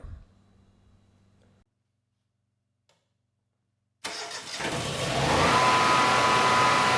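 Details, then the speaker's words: 20-year-old Watchdog-branded Generac standby generator, model 0053820, with low battery and replacement starter: short silence, then cranks, catches and runs steadily with no knocks or misses; output about 120 V, 61.5 Hz. "All right. Well, the engine sounds good. The generator's making power."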